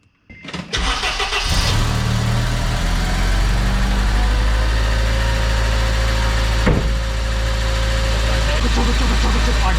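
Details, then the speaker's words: Car after fixing headers and deleting flex pipe: brief crank, clean catch, steady even idle with no ticking or exhaust puffing, all exhaust now out the back; normal start and idle. "no it's it's fixed dude it sounds great now all the exhaust is coming out the back sweet"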